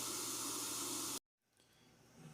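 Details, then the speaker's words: 2004 Honda CRF250R, hard to start: leak-down test shows about 84% leakage, air hissing loudly out of the intake because intake valve clearance is too tight (spec .004–.006 in); valves are to be adjusted. "Okay, about 84% leak down. And we're coming out of the intake. You can hear it loud as day in there, which is what I expected because of the gaps."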